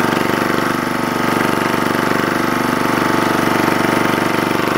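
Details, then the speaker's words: Lister Petter AC1 4 kVA diesel generator, 1980s British, 3000 rpm, after earlier no-start from suspected air in fuel resolved by extra fuel; steady even thump, no misses or knocks; normal running. "thank you guys for coming along watching a bit of teff's travails and i will play you out to the soundtrack of classic british engineering"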